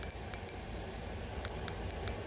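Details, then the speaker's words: 2006 Ducati Monster STR 800 fuel injector, previously stuck closed, after hours soaking in parts cleaner and blowing out with compressed air and carb cleaner, now clicks crisply as it opens each time energized, normal injector operation. "now let's see can you hear that yep so now it's opening"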